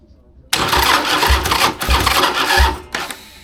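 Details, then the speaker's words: Rewired 2002 Harley Sportster chopper with plugs in, cranking on a half-charged battery: the starter spins the engine briskly with an even chug of compression strokes, about two a second; it has compression and turns over freely. "And that's on like half a battery. That thing's still pretty dead, but plugs are in. It's got compression, and it turns over."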